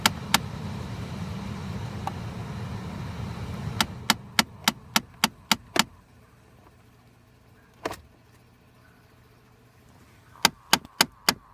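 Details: Constant loud clicking behind the glovebox near the cabin air filter on a 2013 Chrysler 200, even when parked for long periods: sharp, even clicks about 3.5 per second in bursts with quiet gaps; cause unknown.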